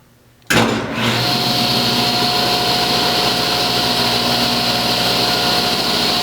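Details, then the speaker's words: Restored 1987 Delta Unisaw table saw with a 3 hp single-phase motor, new arbor bearings and belts, and everything lubed, spins up fast to a steady, even, clean whine with no rattle or grinding; normal, healthy running. "This is a beast of a 3 horsepower single-phase motor. I changed the arbor bearings and the belts."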